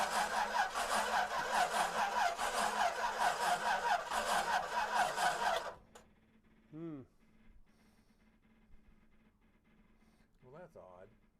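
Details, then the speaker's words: 1937 Buick Century with twin Carter carburetors, not started in years, electric pump running, carbs unprimed: slow even cranking about two to three beats a second, starter slowing on weak battery, no catch; cranks but no firing. "it's like we don't have any fire but the switch is on huh so it says that the electrical so you can hear the bat you can hear the starter slowing"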